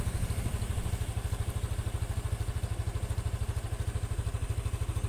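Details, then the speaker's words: Honda Scoopy (possibly 2021), previously rough from a loose crankshaft bearing, after repair: a small single-cylinder idle of about three even low thumps a second with no knock, as smooth as a standard bike. Normal idle. "Sudah halus suaranya, seperti motor standar pada umumnya."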